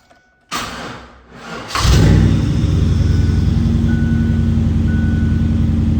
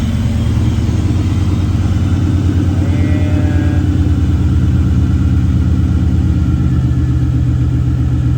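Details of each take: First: LT1 V8-swapped Mazda B4000 after fixing a misfire caused by a stuck injector: engine cranks, catches and settles into a deep, steady, even idle with no more popping; normal eight-cylinder sound. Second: LT1 V8 swapped into Mazda B4000, running on a lift with ignition scope attached: deep rumble with uneven, lumpy beat and occasional stumbles; cylinder eight suspected of misfiring, caused by a stuck injector.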